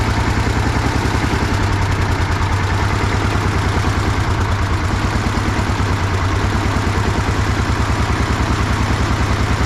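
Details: 1960s DT-14 tractor, single-cylinder diesel, cold start after 10 years: steady, even thump around three beats a second, no misses or knocks; idles cleanly, normal idle.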